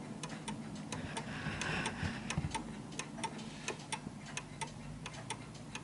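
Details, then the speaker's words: Vintage British Bentima/Perivale Art Deco 8-day mantel clock out of beat because it sits unevenly. The pendulum glides to the right, and the tick-tock limps unevenly ("ticks more than it tocks") until the clock stops. "so it's ticking more than it's talking and the reason why it's doing that is because it's uneven and it will come to a stop hopefully for this demo"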